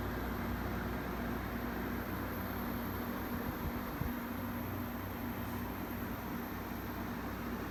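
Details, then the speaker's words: 1994 Amana 6700 BTU window air conditioner at startup indoors before installation: an even, muffled low hum with a steady fan rush and no knocks, the compressor quieted by its sound enclosure. Normal running. "You can kind of hear how muffled the compressor is within its sound enclosure. Like I said, it makes a pretty significant difference."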